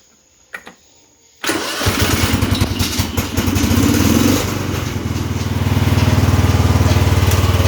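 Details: Cub Cadet 2146 garden tractor, single-cylinder, throttle up, choke hold broken, after transmission repair: silence, then engine catches and settles into an even thump that picks up steadily; runs properly.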